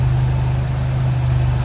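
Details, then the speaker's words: 1949 Willys Overland Jeepster, 3.8 L GM V6 (guessed Buick), HEI ignition, rebuilt Holley carb, automatic, heard in the engine bay with the hood open: steady, even low idle hum with no ticking or knocking; running smooth. "We know it's a GM. My guess is Buick running pretty smooth either way."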